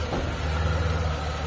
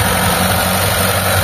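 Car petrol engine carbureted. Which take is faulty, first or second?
second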